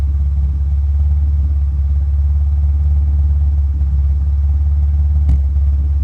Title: Misfire at idle